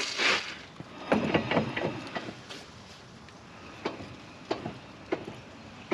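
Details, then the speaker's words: 1st Gen Toyota 4Runner front axle, hubs locked, turned by hand on jack: irregular clunks and sharp clicks; something clanking in the front differential, possibly a locker, cause unclear. "Uh-oh. Shit, that don't sound good at all. Let's see where that noise is coming from. Now, something's clanking."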